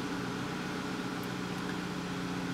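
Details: 2010 VW Tiguan 2.0T with P1545 throttle valve controller malfunction (EPC light, stalling, no throttle response), idling with known-good pedal and throttle sensor readings. Smooth, even idle.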